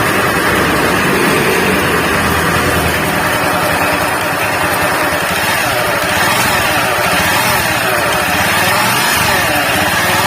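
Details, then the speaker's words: Honda Beat FI scooter idling with the CVT removed to isolate the noise: coarse gritty rumble over idle persists without the drive, so roughness comes from inside the engine, possibly the front; cause suspected, not confirmed. "ini suara kayak di depan ya begitu ya Asia kemungkinan Ini keras-keras perutnya begitu ada kemungkinan tapi kita coba aja Lepas dulu begitu ya"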